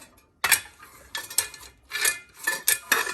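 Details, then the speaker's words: Furnace inducer motor removed, shaft turned by hand: gritty, crunchy scraping bursts from its failed bearing, which caused screeching and burners firing only 5-10 seconds then cycling. "the bearing in this motor goes bad I don't know if you can tell or not but"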